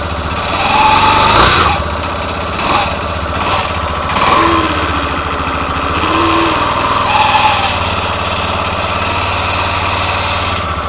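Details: 2013/14 Yamaha Fazer 250 Blueflex, 6,000 km, first cold start of the morning: harsh creaking grind as it cranks and catches, settling into a busy idle; noise came from the starter clutch, and replacing it cured it.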